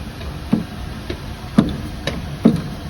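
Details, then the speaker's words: Walcker pipe organ, Lutheran church in Kazan: uneven soft knocks about once a second over quiet wind hiss; valves in the windchest are loose and knocking, air leaking, needing disassembly and re-gluing. "Well, the fact that the valves are sloshing, of course, you need to disassemble the whole system and glue the valves back on. This one is sloshing really loudly."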